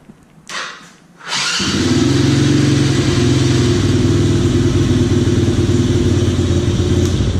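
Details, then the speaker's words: Chinese Coolster 125cc ATV that stalled right after starting, after turning the idle screw counterclockwise: cranks briefly, catches at once and settles into a steady, even idle without stalling; fixed. "Running like a dream now."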